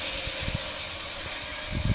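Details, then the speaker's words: BMW E39 EV conversion, first run on a 12 V battery with car on blocks in second gear: steady hum with faint even tone and light driveline clunks as the electric motor spins up smoothly and turns the rear wheels; normal electric motor run. "so i just got 12 volt battery hooked up so i just got a quick wire on here ah go on you can hear the motor is spinning up and"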